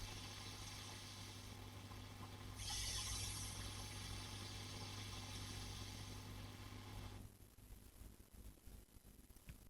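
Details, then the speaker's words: 5E3 tweed valve amp copy, normal channel, both ground switches up, hum-level check with boosted audio: low steady hum with soft hiss swelling as volume rises then falling away; normal for a 5E3, possible parasitic oscillation noted. "To be honest with you, that's all sounds fine. That's pretty normal. Little bit of hiss as you turn the thing up for a 5e3. absolutely normal."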